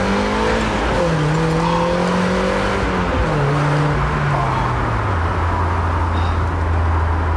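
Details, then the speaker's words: Mark 1 Mazda MX-5 with aftermarket exhaust under acceleration: deep smooth exhaust note rising through the revs, dropping on each shift, no rasp, rattle or drone; healthy sporty exhaust. "sound is genuinely therapeutic I'm not even kidding because for me it's it's perfect"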